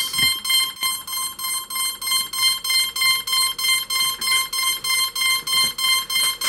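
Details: Cheerson CX-20 quadcopter with battery in, connected to PC: high-pitched beeps about three per second, steady and unbroken; stuck in warning state, cannot connect to Mission Planner to restore factory parameters.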